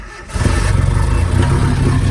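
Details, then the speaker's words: Japanese mini truck after timing chain cover replacement and reinstalled distributor: fires into heavy lumpy uneven rumble with much shake; owner feels ignition timing far too advanced, plug lead positions on distributor wrong; correcting them fixed it. "It causes quite a bit of shake, and I feel like we are super advanced in timing. I feel like we're going pretty fast here."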